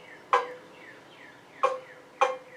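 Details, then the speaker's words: 40-50-year-old Shop Smith free-standing scroll saw being refurbished, blade tension knob tightened until blade pings when plucked; three sharp plucked pings with clear ringing tone, blade tensioned correctly. "what i'm doing is trying to tighten it up until i hear it kind of ping a little bit i don't know if you can hear that or not"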